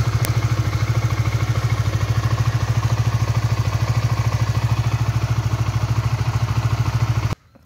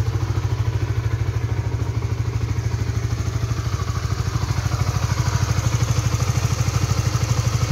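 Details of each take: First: Honda 150 cc single-cylinder motorcycle idling after a 3 to 5 minute warm-up on new synthetic-based oil; even thumping idle about three beats a second with no clatter or misses; smoother than the previous Shell Advance oil at 1700 km. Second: Honda 150cc motorcycle (Supra GTR 150/Sonic/CB150R class) warmed 3–5 minutes on its second fill of Shell Advance oil, only 1700 km in: steady low thumping idle with a dry clattery edge on every beat; rough engine, owner suspects worn oil.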